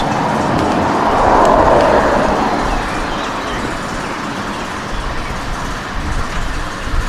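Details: 1989 Suzuki RMX 250 two-stroke dirt bike after ignition stator replacement for a no-spark fault: loud raspy run swells briefly then settles into a steady, even run with no misses; engine running properly.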